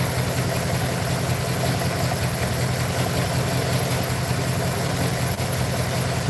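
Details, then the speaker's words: Truck with a rough, uneven idle whose low rumble stumbles rather than pulsing evenly. Owner feels it got worse and plans to pull and check all the spark plugs. Misfire at idle. "I'll probably probably pull all those plugs and check them all camera back I feel like it got worse to be honest foreign"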